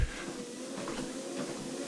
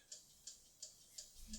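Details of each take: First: Horizon 7.0AT treadmill running at 3 mph: steady motor hum with light even ticks about three per second, no grinding or squeal; running normally. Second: Horizon 7.0AT treadmill after about six months' use: sharp, high, regular ticks about three per second over quiet running hum; support diagnosed a faulty drive motor, and the ticking was gone after replacement.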